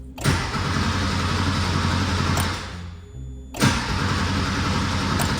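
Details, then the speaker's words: 1982 Porsche 911 Slantnose, unrun for 20+ years: two cranking bursts with an even churning starter rhythm and the relay clicking, but it never catches. Relay was tested fine; fuel pump is probably dead. "and you can hear it clicking also when you um actually start cranking cuz the fuel pump typically doesn't run in the on position it's going to run when when you actually try to crank it over so so fuel pump is probably shot the relay is fine already tried it"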